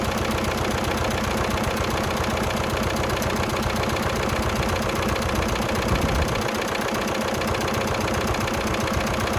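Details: 1996 VW Passat TDI diesel at cold idle just after first start, alternator reading 11.87 V: a light, fairly steady tick over the diesel clatter, about two or three a second, source uncertain. The owner thinks it will go away once the engine warms up.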